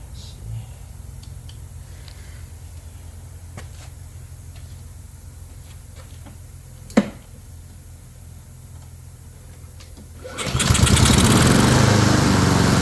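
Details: Honda self-propelled mower after carburetor cleaning: catches at once, strong even full-throttle run without stumbling; smoky, possibly overfilled oil or oil in muffler from tipping. Normal running.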